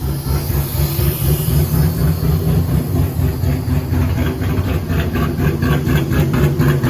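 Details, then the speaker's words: 1000 hp V8 police car with cast manifolds on the dyno, now firing on all eight cylinders after a dead cylinder was fixed: deep, steady, even idle with no skips; the following pull made 860 hp and 845 lb-ft. "okay it definitely sounds better now it definitely sounds better"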